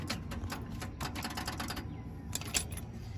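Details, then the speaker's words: Old John Deere 555 bulldozer diesel, sat for years, original battery read 0.25 V, now on a group 31 battery with ether: fast rapid clatter of a laboring starter spinning weakly then quitting; weak cranking, needs more battery voltage. "have enough voltage in that battery battery charges if you guys so we need more voltage guys"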